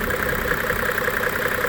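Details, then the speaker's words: 1995 Mercedes E300 diesel (W124), over a quarter million miles, with a tight timing chain and no blow-by: an even, soft diesel clatter at idle with a steady beat and no knocks or misses. A healthy, quiet-running diesel. "I mean it runs like it's it's the best it is by far the best running one I have ever come across"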